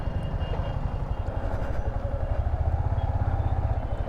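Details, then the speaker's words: Yamaha MT15 after engine rebuild at 70,000 km, ridden: even, low thrumming exhaust pulse with no knock or rattle from the bottom end; the engine runs very smooth and healthy. "बहुत smooth चल रही है भाई। भाई बहुत smooth चल रही है बाइक।"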